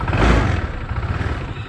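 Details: Honda PCX scooter that would not start, after a faulty ECU cable was found and the standard ECU refitted: catches and settles into a low steady idle rumble, starting and running normally.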